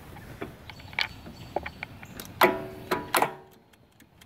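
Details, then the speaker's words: Toro Grandstand mower, Kawasaki FS691V engine, broken battery cable ring terminal before starter replacement: only scattered sharp clicks, no cranking; current not reaching starter. "It's engaged before. I had to get a click and nothing else. So that's the problem."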